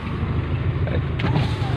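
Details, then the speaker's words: 1993 Suzuki Esteem central power window switch operating left-side windows: steady low motor drone then a short clunk as the glass stops; left windows work normally, though the rear driver-side window is dead. "Nah untuk power window dari Sentral nih yang menyala ya Nah nyala semua sebelah kiri"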